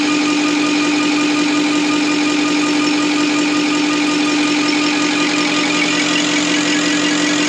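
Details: Deutz V8 diesel injection pump from the MAN Kat truck, which could only reach 50 km/h, run on a test bench after cleaning and full dismantling: steady mid-pitched hum over an even mechanical rush, no knocking or grinding, sounds like a V8 engine running normally.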